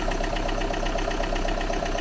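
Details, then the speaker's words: Used car, possibly standing a long time, cold start: light, even ticking about eight per second over quiet idle; suspected hydraulic lifter or poor lubrication, not confirmed, ticking soon disappeared. "Možná dlouho stojí to auto, ale stejně, to už by mělo být pryč na zvuk. Chvíli, kdyby málo mazal ten motor, veď?"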